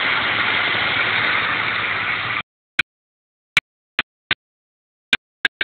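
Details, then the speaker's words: Mustang GT idling smoothly and evenly with a faint light injector tick on top, no knocks or rattles; normal idle with light injector tick. "probably should have kept the uh hood open so we can get under the hood and see if there's any kind of clicking or other audible noise that people might be turned off by you can hear a little injector tick but that's about"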